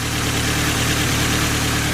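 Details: Nissan 240SX with a just-repaired engine on its first run after install: steady, slightly lumpy idle with a dull tapping under the exhaust note. Owner suspects a bottom-end knock linked to rod marks and a possibly bent crank that was never checked.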